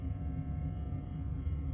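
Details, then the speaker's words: 1981 Stern Viper pinball machine play-tested after the boards were installed: a constant low buzz with a steady hum underneath, unchanged throughout; electrical buzzing of unknown source, cause not confirmed. "What is the buzzing? I don't think I like that."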